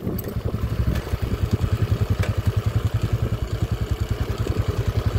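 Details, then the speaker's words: Honda TMX 155 on test ride in first gear after new clutch set and rebore: even low thumping around three and a half beats a second with the earlier whine gone; clutch healthy. "Let's go primera swabeng swabe na mga kao wala n halinghing yung panggilid all goods"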